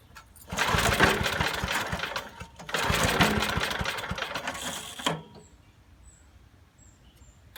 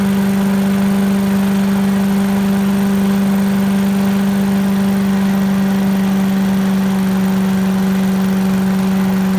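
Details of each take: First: 1980s Billy Goat vacuum small engine, stale turpentine-smelling fuel drained and refilled fresh, carb cleaner added: repeated rough pull-start cranking that dies without catching; spark plug shows only a little spark; no start, weak spark. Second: 1980s Billy Goat vacuum small engine running after turpentine-smelling fuel drained and fresh gas added, spark weak; smooth, steady drone at constant speed, no misses, knocks or surging; needs extra pulls, owner suspects low compression, but runs well; normal running.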